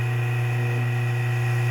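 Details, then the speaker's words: Old drill press electric motor after rotor repair and reassembly, before pulley fitted: steady even hum, no knocking or rubbing; earlier banging inside the stator gone, motor healthy. "that sounds better. No more banging around inside the stator, at least. That's good."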